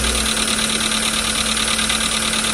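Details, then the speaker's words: Volkswagen Jetta 1.6 petrol engine on cold start at raised idle, heard even from inside the cabin: fast, hard metallic rattle over a rough, diesel-like note. Piston knock. "Сразу после старта двигателя стук слышен даже из салона автомобиля. При холодном старте повышенных оборотах двигателя слышно так называемое дизеление мотора."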